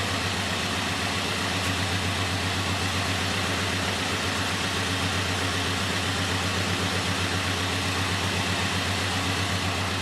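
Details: Idling engine with a misfire: slightly uneven stumbling chug under steady drone; unplugging cylinder two nearly kills it, cylinder one makes it run better; diagnosed bad coil pack.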